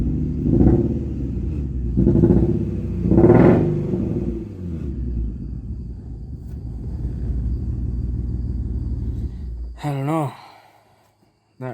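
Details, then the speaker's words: Infiniti G35 VQ V6 after idling a few minutes: three throttle blips, then ragged idle sounding a cylinder down before it dies out; misfiring with no flashing check engine light. "the car completely died out sounded like it was down on a cylinder which was a little bit alarming"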